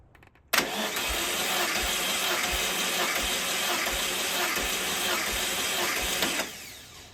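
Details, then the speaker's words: 1968 VW Beetle engine out of the car, valves set to .006", compression test on cylinder 1 via gauge in the spark plug hole: starter cranks steadily about six seconds with even thumps, no dropouts; reads 110 psi, compression good. "you just want to be able to uh crank the engine to have it make some compression in the cylinder"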